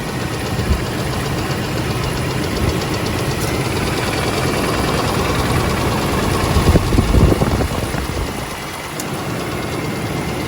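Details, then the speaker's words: 2001 Oldsmobile Bravada with a warm engine held near 2000 rpm, oil pressure about 40 and the service engine light blinking: heavy, rough, uneven knocking about three raps a second with vibration. A spun bottom-end bearing is suspected, unconfirmed; smoke comes from a leaking valve cover gasket. "Service engine light is blinking. I'm pretty sure it's not supposed to blink unless something's like really wrong. That sounds awful."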